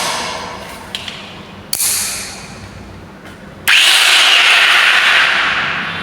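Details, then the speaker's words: Angle grinder/cutting machine motor after bearing and carbon brush replacement: spins up to a smooth, high, steady whir and winds down evenly, no grinding or rattle; earlier it sounded very harsh, now runs normal and fast. "Sound నార్మల్గా వచ్చి ఫాస్ట్గా దానికి జాగ్రత్తగా run అవుతుంది."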